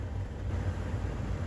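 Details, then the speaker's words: Blower motor of a Honda Civic or Lexus commanded on by a Launch X431 Pro Elite scanner with everything else off, speed raised in small steps: low, steady fan hum that steps up slightly, normal operation. "So everything's turned off, but yet I have the blower motor on, and I can do it in very small incremental steps, and I will let you listen in the background, and you can hear the blower motor coming on."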